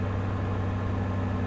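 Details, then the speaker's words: Ex-police V8 car with 110,043 miles, parked for years, just started: smooth, deep, even idle with steady low rumble, no knocks, misses or smoke; runs perfectly. "Really? It runs perfect. This runs perfect."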